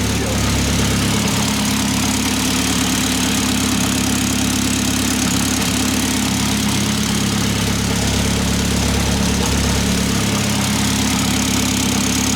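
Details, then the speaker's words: Fully built Mitsubishi Evo X SST with a PT 6466 turbo, first start after long storage: loud steady idle with a fast buzzy rattle from the exhaust downpipe, not the engine; owner suspects a heat shield the downpipe rests on, not an exhaust leak. "I'm pretty sure there's no exhaust leak either one of the heat shields are rattling that's what it sounds like because if I put my head right down there it's definitely not coming from the engine it's coming from like the exhaust downpipe"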